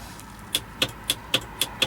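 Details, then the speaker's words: 1978/79 Hammond boat with no tilt or trim: sharp clicks about four a second from the back while trim is pressed, but the motor never runs; cause not yet found, fuses and panel being checked. "So, if you remember, we had no tilt or trim. So, we just go in. We got up. You can hear it clicking"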